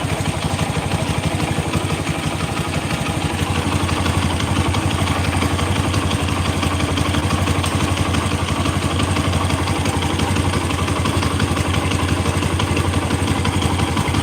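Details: Motorcycle engine idling roughly with a steady metallic tek-tek-tek knock of about three a second; mechanic suspects a loose part and notes the clutch making noise, not confirmed.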